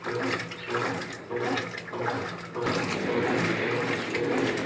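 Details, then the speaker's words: 2014 Brastemp Clean 8 kg top-load washer after refurbishment with new pump, agitating in turbo mode (faster) then normal (smooth): quick even sloshing swishes, about a hundred a minute, no grinding or knocking; healthy agitation. "Batendo mais rápido. Tirar do turbo. Suave."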